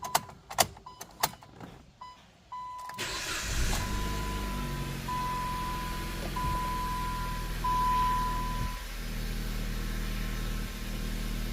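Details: Dodge Caliber with codes P0301 and P0300, plug gap found excessive: cranks and catches over a chiming warning beep, then a slightly uneven idle; cylinder one still misfiring.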